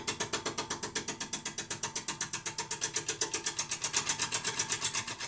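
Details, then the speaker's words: Gouge on a wormy sycamore bowl blank that is not quite centred, lathe at about 475 rpm: rapid, even tapping about four times a second as the tool hits the high spots. The tool is bouncing on the out-of-round blank. "i can slide the tool up the rest just raise my handle get a cut gonna bounce a little bit at the moment"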